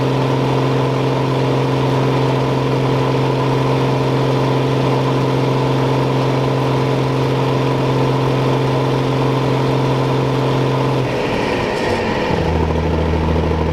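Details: John Deere combine diesel engine warming up at idle on a hot day; steady, even low drone with no knocks, dropping to a lower speed near the end; normal diesel idle.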